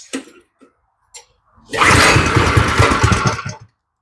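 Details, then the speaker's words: Small go-kart engine, first start with new plug, no choke, pull-cord: a few tugs then brief rapid chugging catch under two seconds before dying; idle sounds set too low, hard starting. "she almost started first start no choke I'm going to turn the idle up just to touch on this one"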